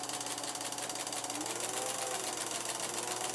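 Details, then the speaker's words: Vintage Kodascope Eight 90 8mm movie projector with large fan, running and projecting film: loud steady fan rush with fast even mechanical flutter, no stray knocks; normal but very noisy operation. "I'm going to turn it on you're going to hear it it's crazy noisy"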